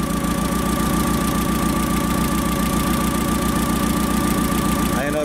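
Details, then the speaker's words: Caterpillar V50D forklift with hard starting when cold, idling unevenly with a lumpy beat and occasional weak or missing firing strokes; cylinder balance test finds one cylinder not contributing, a misfire. "e started right started up right that time but I don't know if you can hear this in the camera but there is definitely a mire on this engine"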